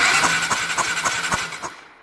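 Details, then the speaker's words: Honda CBF 250 that won't start, in neutral with the battery connected, cranked on the electric starter to check spark at the removed plug: even whir, regular compression pulses about four a second; starter healthy, and the plug sparks. "Y lo que vamos a hacer es, al darle al motor de arranque eléctrico, tenemos que ver si la bujía suelta chispa o no, para comprobar que esté bien."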